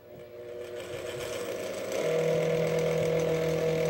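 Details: Old electric fan of unknown origin tested: motor spins up unevenly in fits and starts, then rough hum and whining tone; owner suspected a stripped gear; motor noise from dry bearings.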